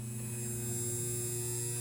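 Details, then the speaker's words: Rebuilt spare starter motor for a 1978 Honda CX500, bench-tested at about half speed on 5.3 V through a 20 A variac and rectifier, 26.5 A, about 300 W; smooth steady low hum, no knocking, scraping or surging. Normal run. "all right so here's my test setup i'm running it on 5.3 volts i'm pulling about 300 watts in the watt meter bring it through a variac this is a 20 amp variac running 26.5 amps through my rectifier so it's about half speed"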